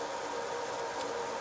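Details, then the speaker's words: Myford Super 7 lathe running in reverse with clutch engaged and speed control working: even steady high drive whine, no knocks or surges; normal running. "the motor now spins back up in reverse which is wonderful through that engage the chuck the way she runs going backwards so there she goes she absolutely works and the speed control works just fine in reverse as well as forwards so she's running nicely"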